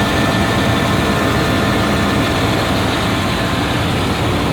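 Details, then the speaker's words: Chevy Tahoe at idle just after start-up, good oil pressure: rough steady idle with a raspy, puffing edge; sounds like an exhaust leak, and the catalytic converter was found removed. "what i was saying there i was saying that the exhaust is it sounds like it has an exhaust leak"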